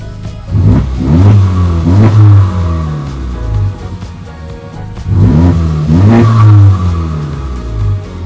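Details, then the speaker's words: Totaled Honda Civic Type R with new coolant reservoir, engine at operating temperature and cooling fans on: two quick revs rise and fall cleanly with a faint turbo whistle over the engine; turbo spools normally. "You can hear the turbo spinning. Sounds good."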